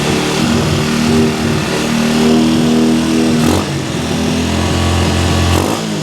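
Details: Cheap quad bike ATV after new wiring loom, cleaned carburettor, new spark plug, CDI, regulator, battery and clutch, jump-started and warming up: small single runs rough but steady, rising and falling with short throttle blips, then settles; normal running.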